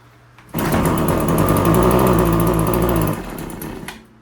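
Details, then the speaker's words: RedMax TRZ230S two-stroke string trimmer, reported hard to start, running rough and leaking fuel: it catches at wide-open throttle, buzzes roughly a couple of seconds, then sags and dies. Runs badly. "Alright, so that was me holding the throttle all the way open in case it wasn't obvious. It's running like crap, eh?"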